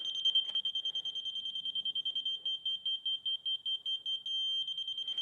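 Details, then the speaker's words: Laser level receiver: high-pitched beeping at about 2.5 per second means very close, briefly merging into a solid steady tone meaning right on grade. "So, when you hear that solid beep, that means you're right on it."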